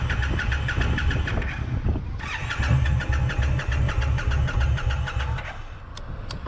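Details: Brand new Indian Scout Bobber motorcycle: starter churns the engine in steady bursts, about three a second, with short pauses, but it never catches; cranks without starting.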